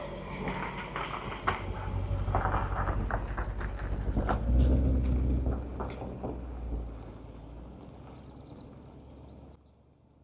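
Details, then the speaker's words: 1972 Mercedes 280SE 4.5 with D-Jetronic fuel injection, stored since 2011, first start with starting fluid after fuel injection work: deep, even steady running without misses or knocks, then fades out; runs fine. "All right, give it a crank. Woohoo! Not bad. Coming out of storage since 2011."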